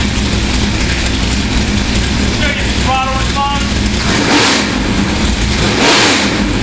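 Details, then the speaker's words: Freshly built 350 V8 for a 1978 Corvette, warm, long-tube headers and two-chamber Flowmaster mufflers: deep choppy blips up and back with lumpy big-cam beat, no knocks or rattles; strong healthy motor. "f nice this thing's going to kill kill that man tear that n up and listen to the amount of Cam in that motor tremendous"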